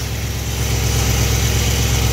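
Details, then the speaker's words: Engine idling after timing was advanced from about 1° to 12° initial advance, with the vacuum advance port plugged. Steady, even low idle hum with no misses; it smoothed out, giving a normal idle. "so we're going to add some to it all you hear how the engine smooth out now we are at 12°"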